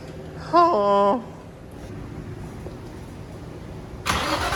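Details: Built turbo Nissan G35 V6 on first start attempt after rebuild, fuel return problems, iridium plugs two steps colder: starter whirrs about half a second with rising tone, then cranking fades without catching; hard start, cause unconfirmed.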